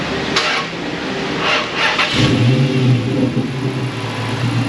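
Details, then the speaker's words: Chrysler Hemi: sluggish, dragging crank for about two seconds before catching and idling; slow crank from bad battery; also hesitates starting, worse when warm. "I've done enough of these now I can just hear that slow crank"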